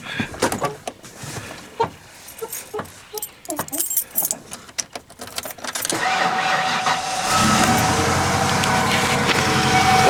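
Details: 1995 Ford F150 5.8 L V8 after replacing the commonly cracked EGR exhaust tube, which had sounded loud and ticky like an exhaust leak: after key jingling it fires and settles into a steady, even run with no ticking or puffing.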